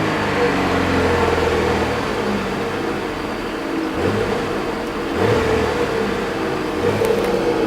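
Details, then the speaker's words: Commodore ute automatic gearbox, selector in reverse: engine revs freely and evenly with no drop under load, drive never takes up; park works but no reverse, gearbox suspected blown, also making bad noises and barely moving forward. "definitely in Reverse Park Works got no reverse it's actually not a good thing to dve that like that it could suddenly engage"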